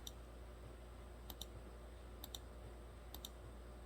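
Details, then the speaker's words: 2014 Kia Rondo with MIL on, codes P0456 and P0442: EVAP vent solenoid commanded by scan tool, engine off, heater blower off, gives sharp paired clicks about once a second. It is clicking, so not stuck, but could still leak; smoke test found the canister leaking. "so i can hear the vent solenoid clicking so at least it's not stuck but that doesn't mean it's not leaking"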